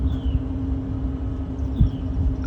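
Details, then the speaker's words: Trane XR13 AC outdoor unit not cooling, capacitors tested good: only steady low fan hum and airflow, about 2.5 amps, no compressor kick-in; compressor not starting, fan only. "and the only current I saw was about two and a half amps which is probably the fan itself starting not the compressor"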